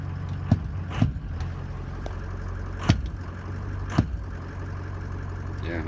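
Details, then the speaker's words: Greg's diesel truck with an EGR cooler, cold start with nearly all sensors unplugged (only cam and crank connected): steady low drone, no surging, a few stray clicks. It jumped briefly at first start, ruling out reference voltage; normal idle. "it's just completely smooth right now all good everything's good not jumping at all"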